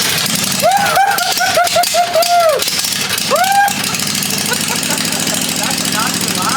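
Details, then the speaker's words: 1980 Daihatsu S38 mini truck with a swapped-in 23 HP Briggs & Stratton Vanguard twin, throttle on slow, first start after priming fuel; settles into a steady, even low idle with no knocks or misses. "This thing sounds pretty dang good. It sounds like a Harley."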